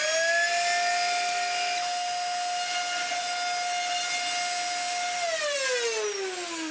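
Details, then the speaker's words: Dyson DC50 Mark 1 small ball vacuum before its motor is replaced: harsh, steady high-pitched whine under power that slides down in pitch as the motor runs down. Motor has blown a bearing. "It has, I mean, it hasn't done its motor in fully, but it's blown a bearing."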